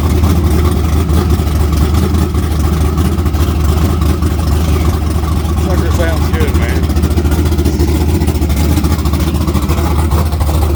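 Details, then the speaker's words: Naturally aspirated LS V8 Camaro with a cam under 240 duration, good ring seal: deep choppy loping idle, strong and even with no knocks or ticks; healthy engine. "I just can't believe how snappy that thing is with that much intake. But yeah, I've heard a lot of LSs. I've never heard one that sounded that rowdy, naturally aspirated like that."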